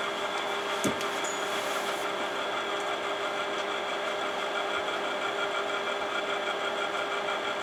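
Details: Imation LS-120 SuperDisk drive writing a SuperDisk: steady whirring spin with high whine, sharp click near start and faint scratchy seeks; head operation sounds off, suspected alignment fault; write produced corrupted data.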